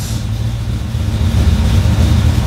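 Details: Engine with FiTech throttle-body injection after fixing cranking power wiring so rpm reads during crank: starts, then steady even low rumble with no misses or knocks, settling into smooth healthy idle.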